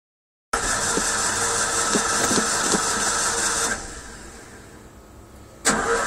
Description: stoped at the gas station and camo out and didnt want to start up but i got it